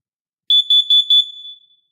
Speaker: just for a quick bonus let's test this kid a carbon monoxide alarm okay it seems to be working